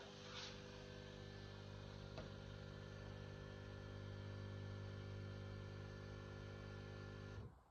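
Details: L'Or Barista capsule coffee machine, about 2.5 years old, warmed up and large coffee selected on a second capsule after one coffee: steady low pump buzz for about seven seconds, no gurgle or tone change; pump runs but no coffee flows.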